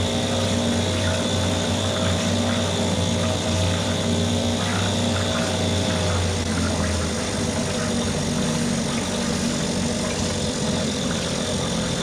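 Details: Mercury 2.5 hp two-stroke outboard after carburetor taken apart, soaked and cleaned; steady idle hum in test tank with water splashing behind, no stumbles or surging: normal running.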